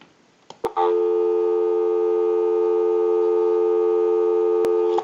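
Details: Repaired and converted 3-slot payphone with bell box on a direct line out, analyzer bypassed: a click, then a steady unbroken dial tone for about four seconds; line live and working normally.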